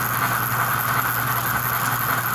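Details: 65-year-old American Flyer toy locomotive retrofitted for four chuffs per revolution with synchronized smoke, running under load on a sound board: steady even chuffing over constant motor hum, smooth cadence; running properly.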